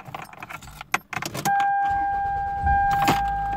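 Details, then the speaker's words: Toyota car, cold engine just started: keys rattle, then it settles into a steady, raised, even fast idle, which is normal for a cold engine. "now engine is cold as you see right here if this engine is called a little bit so rpm it should be high like this"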